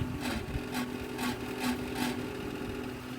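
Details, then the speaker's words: Desktop PC noisy at power-on: steady fan hum with a rasping scrape about twice a second from the power supply fan running without lubrication; remedy is cleaning and lubricating it, or replacing it. "já deu para vocês verem né da onde que tá vindo o bagulho tá vindo da fonte de alimentação a ventoinha está sem lubrificação"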